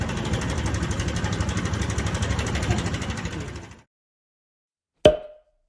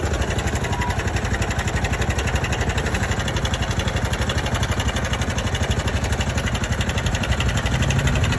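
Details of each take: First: Honda Super Cub JA44 at 57,291 km, idling: quick uneven sewing-machine-like ticking rattle about three per second, then engine shut off; abnormal top-end engine noise being addressed. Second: Honda Super Cub JA44 at 57,291 km, during work on an abnormal engine noise: steady, even single-cylinder idle with a quick regular beat around four per second and no knocking; normal idle.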